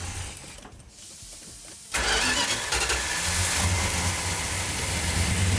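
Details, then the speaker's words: Newly built 1972 Plymouth Duster 340 V8, no primer fuel, choke held and timing advanced: quiet cranking, then the V8 catches sharply and settles into a steady, even lumpy idle with no misses; a healthy start. "look at that wow you like that justin sounds healthy what sounds healthy what oh it sounds good yeah fantastic"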